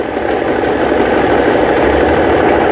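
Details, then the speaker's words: Brother Prince 15 sewing machine, about 30 years old, repaired after about ten years in storage: zigzag, three-step and quilting stitches running with a smooth even whir at steady speed, no knocks or grinding; all stitching normal. "지그잭 되고 있고요. 세발뜨기 바느질도 정상적으로 되고 있고, 누빔 바느질, 반달무늬, 이런 무늬를 낼 때는 땀수를 F에다 놓으시기 바랍니다."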